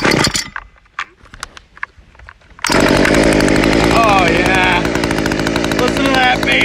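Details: 1.9 TDI AHU/1Z diesel in a Mk3/A3 Jetta: loud, even diesel clatter climbing cleanly with each throttle blip, no misses or knocks; normal revving.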